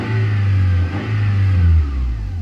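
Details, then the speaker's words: 1990 Honda Accord EX four-cylinder, fuel-injected, that sat over a year and overheats: the idle rises and falls on its own every second or so with the throttle untouched, tach swinging; a surging, hunting idle problem. "but I'm not touching the accelerator this thing's doing now all that on its own so it's got an idle problem all right"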